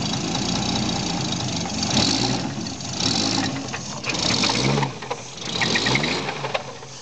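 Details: Toyota 7M-GTE rebuilt engine just after start-up: uneven idle with light tapping mixed in, no crisp steady knock clearly standing out; owner suspects rod knock, not confirmed.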